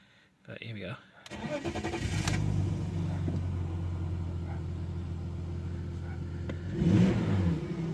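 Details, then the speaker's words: BMW E46 320ci, about 24 years old, bought non-running and repaired: starter turns briefly, engine fires cleanly and holds a steady even idle, then a short rev blip; engine sounds good and drives all right. "the engine sounds good I'm happy with it drives all right"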